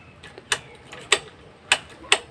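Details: Carbureted motorcycle (Z200X, Z200ii, GPR250, Gamma200 or Sigma250 type) won't start, display panel blinking; sharp dry clicks about every half second from under the seat with no cranking; relay or starter solenoid chatter suspected, not confirmed.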